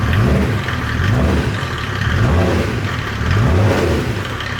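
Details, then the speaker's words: Land Rover 110 diesel build, first start after fitting custom radiator and intercooler, glow plugs shorted in; clatters evenly and revs smoothly on throttle blips then settles, no knocks or misses, described as sounding good; normal revving. "Oh yeah, that sounds good. [Music] This thing makes some white noise."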